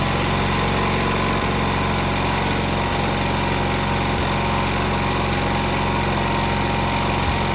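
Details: Cub Cadet 682 tractor with Kohler KT17 twin, first start after sitting (mice remnants, solenoid jumped, battery charger attached): starts right up into a steady, even idle with a smooth low thrum and no knocks or misses; healthy engine.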